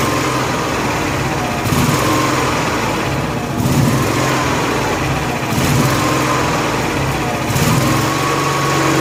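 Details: Honda gas-powered AEC welder generator, fuel pump wired to factory wiring, no leaks: engine note rises and sags about every two seconds without holding speed. Fuel-starvation surging; the fuel shutoff was rated for natural gas rather than gasoline and was replaced.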